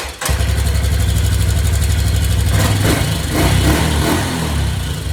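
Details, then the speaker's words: 1986 Yamaha Big Bear single-cylinder ATV, first run in a while after refilling fluids: it idles with a slightly uneven, wandering beat and a few blips. Carburetor needs adjustment. "carburetor definitely need adjustment but what I'm going to do now is just move it out and then I'll see you in the [Music] morning"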